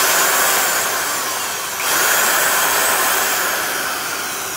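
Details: A classic Syracuse-made Porter-Cable #372 1/2-inch heavy-duty D-handle drill (3.6 A, 750 RPM, triple gear reduction, damaged cord) runs freely. It gives a smooth, high, steady whine with a brief dip and recovery, with no grinding or rattle, so it is healthy.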